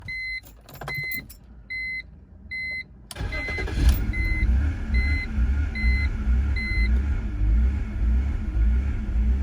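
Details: 2003 BMW 325i that began stalling with no codes after sitting six months: a few chimes, then it cranks and catches, and the idle swells and dips unevenly almost twice a second; rough idle persists despite new fuel pump, fuel filter, camshaft and crank sensors, and cleaned ICV.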